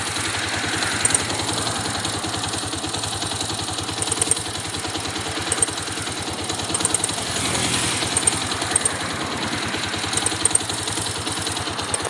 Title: Xr 200 ticking noise. Whats the problem?